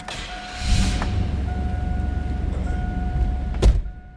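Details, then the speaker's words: 1998 Chevrolet Blazer LT 4x4 with about 62,632 original miles: a cold start. The engine catches quickly and settles into a steady, even idle with no knocks or misses. No check-engine lights are on; it is a normal, healthy cold start. "That was a cold start. I wouldn't expect temp gauge to be up."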